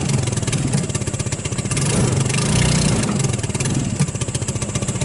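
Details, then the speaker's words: Hammerhead off-road go-kart, 150cc GY6, cold start: surges and sags in uneven pulses, never settling to a steady idle; lean running, not getting enough gas due to contaminated carburetor despite good spark. "see what it's doing it's like cleaning out like I can't quite then quite get enough gas to keep it going"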